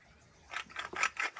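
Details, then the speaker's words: 2010 Nissan Frontier 4X4 front wheel bearing, removed and spun by hand: about five short, rough, uneven gritty rasping bursts, the worn bearing that would have been noisy; bore cleaned before fitting the new bearing. "your bad bearing. That was the bearing. Oh my God, that definitely would have been noisy."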